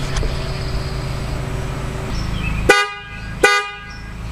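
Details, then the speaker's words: 2009 Toyota Camry horn: two short honks over traffic, thin and lacking punch, quieter than when new; the high-note horn is failing, and both horns are replaced with FIAMM units. "okay so you probably couldn't tell on the camera there but it's definitely not as loud as it was when we first bought the car so I'm going to go ahead and replace them"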